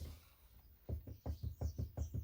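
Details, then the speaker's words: Restored rusty lathe: the tailstock gib strip is too loose while being adjusted on the dovetail ways. Quiet, dull clunks about five a second as the tailstock rocks back and forth on the ways. It needs tensioning to remove the waggle without binding. "Now we can hear the wobble again, and you can see the wobble. You can see the tailstock rocking backwards and forwards across there."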